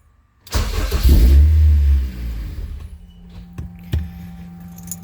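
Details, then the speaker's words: Honda K24 engine swapped into a CRX, first start with injectors connected after an even compression crank: catches with a loud burst, runs about a second and a half, then stalls by itself. Owner is unsure why; it sounds good while running. "turned on for a second stall it all by itself try it again okay uh I'm not sure why she's turning off by herself but when she is running sounds good"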